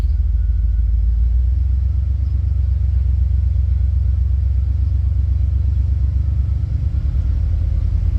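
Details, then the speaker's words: 1989 Chevrolet Silverado OBS with modified exhaust and extra sound deadening, throttle held in the drone rpm range: a deep, steady rumble, smooth and even, with no buzzing or rattling on top; the body is quiet. "yeah right there that's that's pretty loud no rattles I think we're good there no rattles at all I'm happy about that because it is annoying on"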